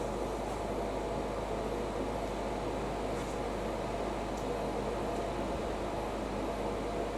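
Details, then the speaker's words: Hotpoint BIWDHG75148UKN integrated washer dryer during drying: steady loud rushing hum with no knocks or rhythm; heater and fan unusually noisy, audible over a TV; cause unclear. "Oh, that's to um This thing has got an incredibly loud heater to it."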